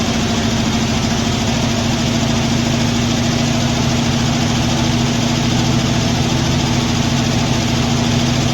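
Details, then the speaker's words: Poly 318 V8 transplanted from a 1966 Dodge Coronet into a 1964 Dodge D300, first start installed, fuel a year old: light, quick ticking over the steady idle rumble from a couple of noisy lifters, hoped to quiet down. "night got a couple of noisy lifters see if those end up shutting up here"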